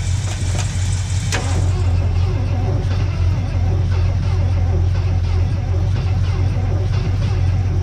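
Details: 1976 Ford F250 engine that had been seized and was freed by soaking the cylinders through the plug holes, jump-started: deep, uneven V8 rumble settling into a rough, lumpy idle.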